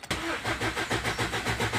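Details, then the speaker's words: Ford Endeavour diesel cranking steadily at about four compressions a second but never firing; starts only with petrol sprayed into the intake, suspected return flow through injector 4 lowering pressure at cranking. "is anytime you try to try to start it it will not start but whenever we give a little petrol it will start right up"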